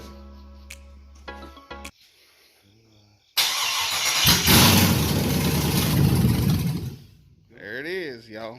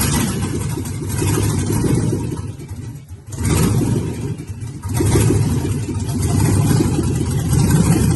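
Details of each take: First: First start of a 5.3 V8 (LS swap) on an engine stand: starter churns at a steady rapid chug for about three seconds but never fires; crank no start, owner suspects it might be out of fuel. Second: First start of a 5.3 V8 (LS swap) on an engine stand: deep engine note rising and falling with a couple of throttle blips, firing evenly without misses; normal running and revving.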